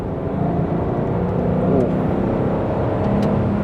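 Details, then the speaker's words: Range Rover L322 4.4 V8, manual mode in third gear, accelerating 40 to 60 mph: deep even roar building smoothly with no knocks or rattles, healthy engine. "and that's 60 just like that it makes a wonderful sound this engine absolutely wonderful"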